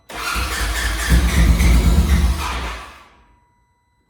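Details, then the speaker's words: Side-by-side off-road machine cranked with the fuel pump relay pulled to mimic a kill switch: starter churns in a steady even rhythm about three seconds, never catches, no fuel reaching the engine. "you hear that there's no fuel going to the engine that's exactly what's going to happen when we have our kill switch on"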